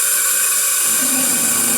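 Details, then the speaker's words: Failed 6.0 engine on a leak-down test: a steady, loud hiss of air escaping past the pistons and worn rings, with nothing coming out of any cylinder. "But anyways, all that noise you're hearing is just blowing past the piston, past the rings, past whatever."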